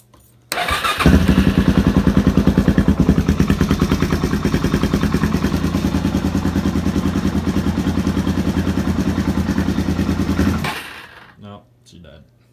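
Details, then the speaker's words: 2005 Suzuki DRZ400SM with many mods, cold startup: fires first try and settles into an even single-cylinder thumping idle at about three beats per second; normal cold start and idle. "anyways that's what she sounds like uh I gotta turn the choke and I'll just do that in another video"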